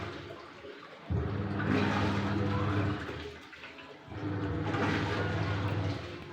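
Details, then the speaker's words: Aqua single-tub washing machine tested after replacing the faulty original control module with a universal (multi) module; water swishes as the motor agitates in even bursts with short pauses. Normal wash operation. "tes mesin cuci aqua ganti modul multi."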